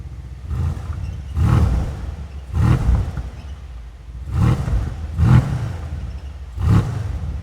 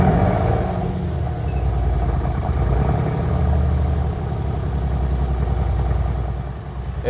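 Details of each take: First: Mercedes-AMG C63S (W205) M177 4.0L BiTurbo V8 after rebuild, revved: deep blips about every second with a rough, uneven flutter at the rear. Diagnostic shows an exhaust flap fault code, timing good. Faulty exhaust flap. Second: Mercedes-AMG C63S (W205) M177 4.0L BiTurbo V8, cold after a full rebuild and timing set: catches and settles into a steady, even low idle with no knocks or misses, no engine light. Normal idle.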